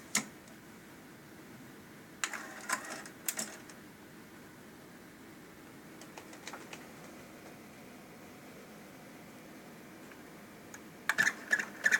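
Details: Sony TC-K850ES cassette deck hard start: quiet hiss broken by clusters of light mechanical clicks as the transport struggles to engage; cause unknown.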